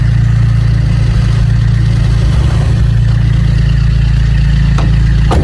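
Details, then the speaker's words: Vauxhall Corsa D 1.3 diesel idling just after starting, following number 2 injector replacement and coding (after ECU water damage and EEPROM swap): steady even clatter with no misfire and no dashboard lights; normal idle. "norville misfiring excellent I don't have any lights on the dashboard brilliant"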